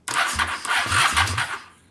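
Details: Carb cleaner sprayed in, owner suspects it is gummed up: about a second and a half of quick, even cranking pulses with no catch before it stops; crank no-start, cause unconfirmed.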